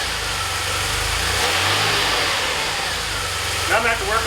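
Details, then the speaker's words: DeLorean, just started after priming fuel pump: petrol idle surges up and down unevenly; idle hunting, owner suspects the idle control valve. "You can see, probably have the same problem that I had before. This is exactly what I have. It's an idle hunting problem."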